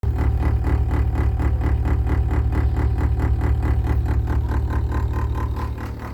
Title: GE Humming noise